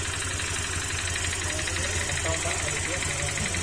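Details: Honda Click 150 scooter at idle: a light tapping about three a second that disappears when revved, diagnosed as a worn piston pin rather than the connecting rod or crankshaft.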